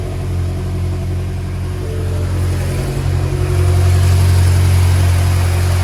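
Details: BMW F10 M5 after new spark plugs and coils, after reseating loose coil connectors that caused cylinder 2, 3 and 4 misfires, codes cleared: steady deep even rumble, no stumble or skipped beats, no errors; normal idle, misfire gone.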